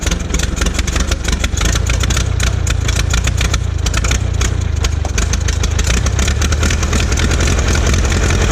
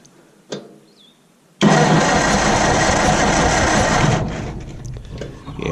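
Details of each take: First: Old Massey Harris petrol tractor, sat 4–5 years, after distributor work: it catches and settles into a steady, slightly lumpy low beat. Normal running after first start in years. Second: Old Massey Harris petrol tractor, sat 4–5 years with stale gas: a steady churning crank of about 2.5 s with no firing. It cranks but won't start; there is no spark but power reaches the coil, and the owner suspects the points.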